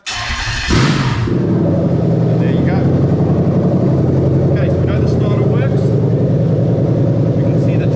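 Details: Toyota Crown 3UZ-FE VVT-i V8 on an engine harness adapted for a Lexus IS200 with the 6-speed automatic, on a test run: the starter cranks, the engine catches quickly and settles into a smooth, even rumble with no knocks or misses. It runs normally.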